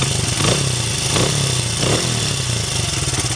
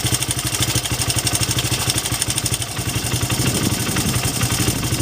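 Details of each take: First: 2006 Honda CRF80F runs with a steady even beat and throttle blips after a small chain tensioner adjustment removed noise first suspected as piston slap; oil leak noted. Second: 2006 Honda CRF80F four-stroke idling, as bought before adjustment: rattly top-end clatter from a badly adjusted cam chain tensioner, which owner had thought was piston slap; small tensioner adjustment made it sound smooth; top-end clatter.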